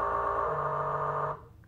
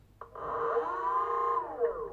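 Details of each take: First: BLDC 6384 140kv motor on e-bike controller, color-matched phases set to forward: runs backwards with a buzzy rough loud whine cutting out after a second; wrong hall/phase wiring sequence makes it run incorrectly. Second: BLDC 6384 140kv motor on e-bike controller, phases swapped color-matched (yellow, green, blue) for forward rotation: whine climbs smoothly, holds steady, winds down evenly; quiet smooth normal run.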